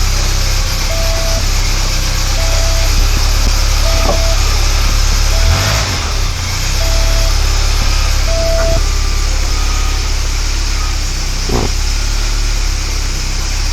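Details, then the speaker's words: 1993 VW Cabriolet first start after new clutch and transmission reinstallation, clutch let out; deep steady idle with no grinding or gearbox whine; normal idle. "I don't hear any noise. It's a good sign."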